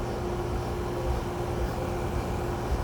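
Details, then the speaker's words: Brand-new (Oct 2023) Carrier Comfort Series 3-ton heat pump, model 25SCA536, outdoor unit in defrost mode: a loud, steady low roar with a droning tone, described as ridiculously loud. "Now it starts going. It's that defrost mode. So loud."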